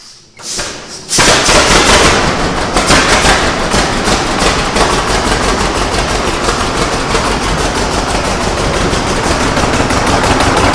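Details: 1927 Hart-Parr 18-36 Model G twin tractor, a belt machine, hand-started after priming fuel and using the magneto impulse: slow, loud, sharp bangs about three a second once it catches, the normal uneven beat of an old twin starting; normal running.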